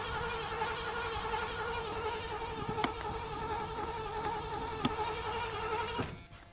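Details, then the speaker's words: 1986 Ford Bronco cranked with starting fluid once fuel was reaching it: wavering starter whine with sharp clicks; it seemed to want to catch at first, then didn't. Owner suspects a spark issue. Crank no start. "Well, it seemed like it wanted to jump off, at least right there at the beginning, but then it just went away. I grant you, we're having an issue with spark."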